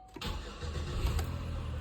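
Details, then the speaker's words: 2011 Chevy Impala after ignition switch replacement (previously clicking and starter seemed to drag; new starter didn't fix it), battery reconnected: short crank catches quickly into a steady low idle; starts normally. "so the battery's plugged back in switches on cranks right up key comes out so it looks like I've got it right where it needs to"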